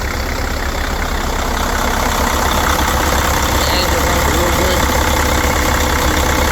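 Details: 2004 Mercedes OM460LA diesel (VIN 4LM36933) idling cold: deep, even clatter under three beats per second, no misses or knocks; engine sounds healthy, though the water pump leaks and sprays antifreeze when hot; mileage unknown.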